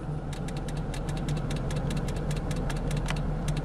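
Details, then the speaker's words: 2007 Jeep Grand Cherokee with intermittent radio cutting on and off: sharp light clicks, two or three a second and slightly uneven, over a steady idle from behind the dash; source not found, external fuse box being checked. "logran escuchar esto l clic clic clic como que está el tablero no estoy seguro sobre el capó"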